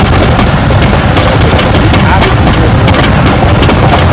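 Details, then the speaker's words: 2016 Chrysler 300 AWD V6 at 79,000 miles on a road test, microphone clipped to the ABS sensor wire: sharp, irregular knocks over bumps through road rumble. This is the worsening front-end clunk, traced to the front sway bar link. "it should be pretty apparent on what is bad because that noise I think was pretty loud"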